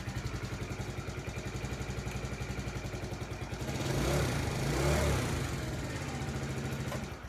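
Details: 2012 or 2013 TaoTao 50cc scooter: quick even idle putter picks up cleanly on a short blip and settles back smoothly; healthy.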